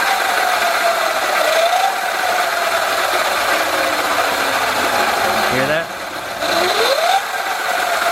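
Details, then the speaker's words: Sur-Ron electric bike with Luna Cycle 219 primary chain kit, under load with regen: motor whine rising and falling over a rough, gritty grind; front sprocket worn to a saw-blade shape, not fixed by re-shimming. "see he goes you hear like a kind of grinding sound yeah it doesn't sound good"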